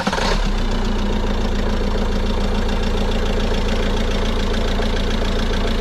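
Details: 2016 Peugeot Boxer 2.2 diesel after fuel filter change and ignition-on priming cycles: catches quickly and settles into an even steady idle with regular clatter, no misses or hunting.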